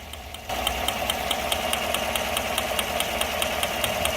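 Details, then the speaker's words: 2015 GMC Sierra, recently bought, idling: quick, even, sharp ticking over a steady petrol idle; ticking only just started, and the truck seems to run okay. Source not yet found. "Anyway, customer brought it in, heard this ticking noise. Was kind of concerned. He just bought this thing not too long ago."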